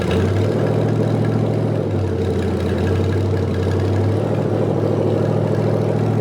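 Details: Rebuilt '73 Canadian truck 350 Chevy V8 (new piston and rod, big cam, fuelie heads), no fan, warming up: loping uneven idle with slight hunting in speed; rough idle from ignition timing way off, distributor twisted to correct.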